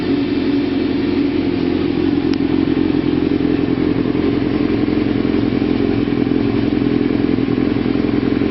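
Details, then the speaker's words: 1992 Kawasaki ZZR-600 (ZX600D) four-cylinder after renovation with new chain, sprockets and brakes, likely stock exhaust: even, smooth drone with no misses, knocks or rattles; normal running. "listen to what it sounds like and starts up not bad I think it's a stock cly exhaust"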